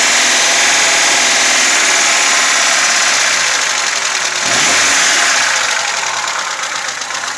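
Loud engine with a fast, even light ticking riding over the running note, about four a second; sounds like valve clatter.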